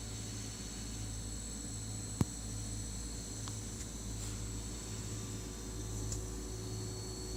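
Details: New Sears Kenmore model 51833 refrigerator, audio normalized then reduced to a quarter volume: quiet, steady low hum with a faint fan whir. It runs noisily; a noisy compressor is suspected, not confirmed.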